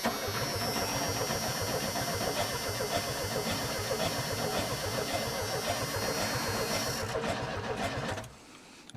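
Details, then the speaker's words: Junkyard Chevrolet S10 pickup with borrowed battery, fuel pump working: steady starter cranking at about four turns a second that never catches; engine spins freely but no start, no spark. "spinning over that's a good sign"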